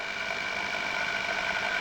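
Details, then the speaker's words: Old single-speed electric drill running flat out without speed controller: constant high-pitched motor whine at one steady speed; drill runs at full speed, too fast. "it just goes just too fast you can slow the drool right down to a slow speed and gradually speed it up"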